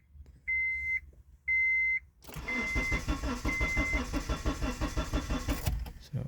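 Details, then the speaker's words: 2003 Honda CR-V with power but no start for a couple of days: two warning chimes, then about three seconds of steady, rhythmic cranking that never catches; crank no start from failed fuel pump relay. "it has a it has power but it is good it crank but it doesn't start"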